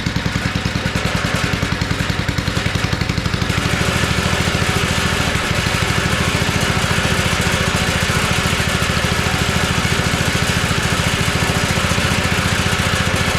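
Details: Abandoned tiller, first run on two-cycle gas while leaking fuel: steady, slightly ragged running on choke with no clean pickup. It revs only on choke, so the carburetor is clogged and needs cleaning.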